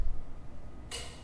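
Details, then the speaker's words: Ferrari F430 with a replaced AC compressor (no cold air before, relay fuses fine), car raised; ECU actuation test of the AC compressor relay gives one sharp metallic click as the compressor clutch engages normally. "all right Ferrari we're going go back in and try and click the relay again okay right ECU actuation test AC compressor relay on oh hear that"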